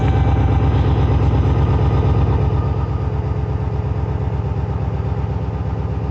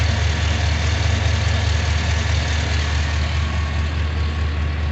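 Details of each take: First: Junkyard 6.0 LS V8 in a 2500 truck on first start after the swap: rough, lumpy idle with light, fast ticking over the V8 beat and 40 psi oil pressure. Lifters are not yet pumped up and quieten shortly after. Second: Junkyard 6.0 LS V8 in a 2500 truck after the swap and sensor replacements: deep, steady idle rumble with an even beat and no knocks, misses or ticks. Running well, normal idle.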